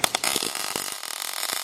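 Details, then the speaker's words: MIG welding a solid bead, going slow with no half-moons: a crisp, crackling sizzle in quick bursts with no popping or sputtering. Both beads are judged very good. "Dog, that is freaking great. Both of those are freaking great."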